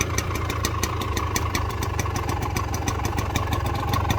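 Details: Restored Gilera KK125 two-stroke at cold idle while warming up; crisp, evenly spaced popping, regular running. Normal cold idle.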